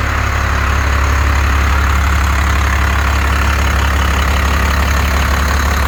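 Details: 1st Gen 12-valve Cummins truck after its injectors were rebuilt and reinstalled with pop pressures around 3,700 and good spray, chatter and leak-down: loud, steady, low diesel clatter at an even idle with no misses or knocks; healthy.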